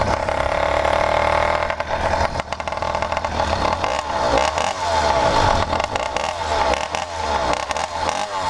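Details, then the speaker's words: 100cc PK100 motorized bicycle two-stroke just rebuilt with a new iron-sleeved cylinder and started with no choke, running its break-in heat cycles. It burbles unevenly and blubbers at low revs; the owner thinks the mixture is running rich. "Still got to break in, so I got to let it run, do a couple heat cycles like this, with it being real fat. I think it's fat right now."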